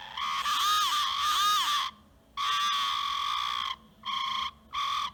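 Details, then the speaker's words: RocHobby Katana crawler after new ESC and receiver, original motor: short bursts of high whine rising and falling with throttle plus thin squeal; motor shaft running off-centre, possibly from worn bearings, vibration carried through transmission and plastic gears. "So I think that shaft is just rotating. Yeah, it's not on center. It's just causing a little vibration, a little squeal, and that's going through the whole transmission and the drive line and all those plastic gears."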